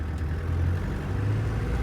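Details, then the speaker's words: 1995 Land Rover Defender 130 300Tdi diesel with five-speed manual, pulling away from a stop, recorded in the cab: deep even drone building smoothly, turbo spooling, no rattle or whistle; healthy turbo, normal acceleration. "you can hear that turbo spooling the turbo's nice and healthy the car does accelerate nicely away from the stop"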